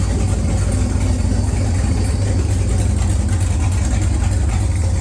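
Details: XG ute with a long-crank 6-litre LQ4 V8, first start after install: steady, even low rumble idle with no misses or knocks. It runs healthy after a faulty brand-new crank sensor was found and fixed.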